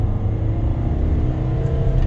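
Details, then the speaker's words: Kia Carnival turbo diesel, 187,000 km, after low power and turbo noise: at wide open throttle a deep, steady engine roar pulls hard with no whistle or noise from the turbo front; the turbo spun free when checked apart. "see the rpm and the speed no noise coming from the front of the turbo anymore i did spin the turbo when i had it apart nice and free"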